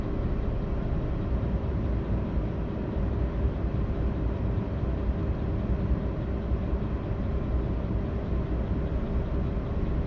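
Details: Audi A8 D3 with 6.0 W12 at idle during a VCDS lambda check for misfires: deep, steady exhaust rumble with a faintly uneven beat, indicating a misfire; cause not clear.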